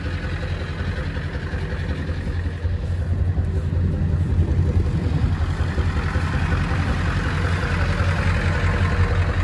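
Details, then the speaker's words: 1999 Ford F250 Super Duty 7.3 Power Stroke V8 diesel, sat for years: runs, steady deep idle clatter that firms up after a few seconds; normal idle. "all right she a runner just out of curiosity I want to see if I shut it down if she'll start right back up"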